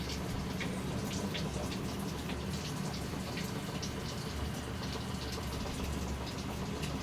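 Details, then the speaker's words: Samsung top-load automatic washer that had no water input, after replacing the faulty inlet solenoid valve: steady, even rush of water pouring into the drum, no valve buzz or chatter; normal fill, should stop automatically at level one. "dapat pag na-reach niya yung one na level automatically hinto yung pasok ng tubig kasi pag hindi Huminto ang problema yun"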